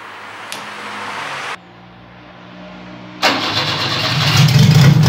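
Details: Fiat 147 under restoration, first start of the freshly installed engine in the car: quiet, then it cranks and catches and rises cleanly in revs with no knocks or misses; sounds healthy.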